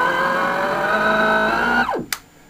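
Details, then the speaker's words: Sensored Astro 3220 BLDC motor on a small controller with no timing correction: steady multi-tone whine, unhappy and drawing enormous current, then winds down as the controller cuts out; rough running from uncorrected commutation timing. "it's not happy, and it also draws enormous current."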